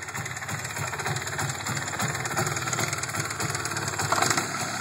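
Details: MZ ETZ 251 motorcycle, noise present for 5 years since purchase, engine otherwise runs well: uneven rattly knocking as revs fall from high rpm back to a lumpy idle; abnormal rattle, cause unknown.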